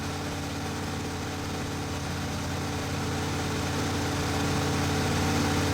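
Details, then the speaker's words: Ford 460 big block with dual exhaust in a 1980 F-350 service truck, first run and break-in, carburetor not dialed in (owner suspects carburetor gasket leak): deep, even burble at steady idle, no ticks or stumbles; idling smoothly. "But do enjoy the engine sounds for the moment."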